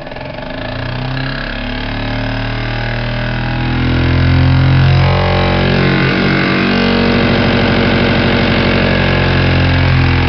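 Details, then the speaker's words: Jensen #60 steam engine converted to a ball bearing on the drive shaft, runs on 1/2 to 30 psi: even rapid chuffing climbs in pitch as it is revved up and holds a smooth, steady high speed without knocks; normal running. "Here we go. Fire it up. Now let's rev this puppy up."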